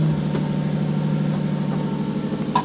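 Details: Turbo M52 BMW E46 323i idling on E85 after DW300 fuel pump install and ECU fuel retune: steady, even idle, smooth low hum, no misses or stumbles; running fine.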